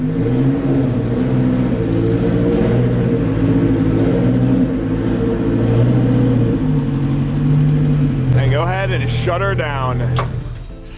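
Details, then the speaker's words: Cold start catching and holding a strong, even high idle with a steady low rumble, no knocks or misses. Healthy. "But here's a little cold start for you boys. Ignition switch. Man, does it sound good."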